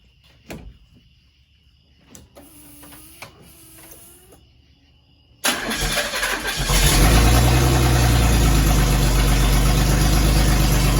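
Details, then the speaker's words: 1984 Chevrolet S-10 under restoration, freshly fired up with a section of exhaust missing and no cherry bomb muffler fitted yet: a brief crank, then a loud, deep, rumbling idle with a raw open-pipe bark. Cooling system still untested. "So yeah, I'd say she's pretty loud. She's pretty rowdy."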